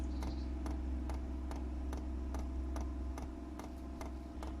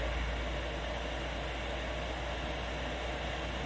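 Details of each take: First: 8 kW Chinese diesel heater being installed in a static caravan, fuel filter and line filling with air bubbles: sharp regular dosing-pump ticks about twice a second over low hum, speeding up before cutting off; priming air-filled fuel line. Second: 8 kW Chinese diesel heater installed in a static caravan, temperature rising: steady even jet-like roar with no pulsing or popping, normal combustion at full output.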